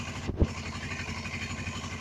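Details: Suzuki GS500E cold start after a carb rebuild for clogged pilot/idle jets, sat overnight at about 55°F, on partial choke then less choke: quiet, even idle with a steady low pulse; it started instantly and runs healthy.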